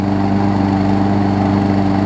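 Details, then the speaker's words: New Murray push mower, Briggs & Stratton 450 series, repaired after box-crush damage (deck, flywheel, block), warm start: steady even single-cylinder drone, constant pitch, no blade striking the deck; running healthy. "runs good and not hit the deck anymore which is perfect"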